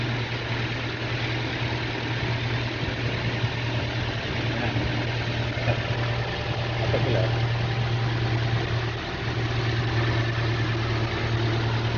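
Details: Toyota Innova petrol whose alternator had a humming noise and was not charging the battery; its silicon diode rectifier was found shorted and burnt. Here it gives a steady, even idle with a smooth low drone and no whine or growl from the alternator, so idle is normal.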